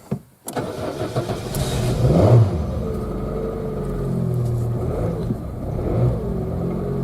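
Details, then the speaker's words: Citroën Saxo at 140,000 km, cold start: catches after a short crank, then uneven, lumpy beat and wavering pitch for the first 15–20 seconds; runs fine when warm; cause not found yet. "the main thing is on the cold start she's very rough on the first 15 20 seconds or so"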